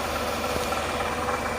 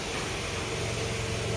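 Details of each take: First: 2005 Toyota Camry (ACV30) at idle: steady, rough growl ('ngorok') under the engine noise, traced with a stethoscope to a worn, possibly loose water pump bearing; the fix is a replacement water pump. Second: Older Toyota Camry after water pump replacement fixing a growling noise traced with a stethoscope to the water pump: short steady low-hum idle with no rumble, grinding or knocking; normal idle.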